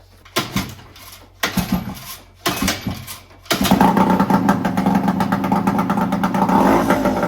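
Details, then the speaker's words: Yamaha 5HP outboard on first start after purchase: catches after three pulls and settles into a fast, buzzy, steady idle with RPM a bit high; dirty carburetor suspected, cooling water flow weak, thermostat suspected. "Yes, motor running pretty good. Little bit sounds like a carburetor is dirty. We got little too high RPM, but running very well."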